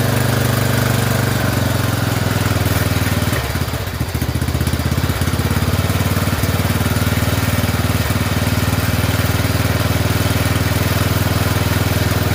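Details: Poulan 12538 XT riding mower, 12.5 hp single-cylinder, 38-inch deck: steady even thump, brief dip as idle is turned down, then smooth; oil burning off muffler; normal running.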